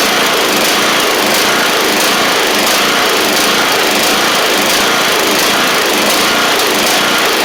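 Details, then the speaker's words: Troy-Bilt TB42 hydrostatic lawn tractor, Powermore 541cc engine suspected of a bad head gasket: a harsh, uneven drone with a faint surge about once a second, which smooths out when the blades are engaged; rough running. "But when you get the when you turn the blades on, it smooths out."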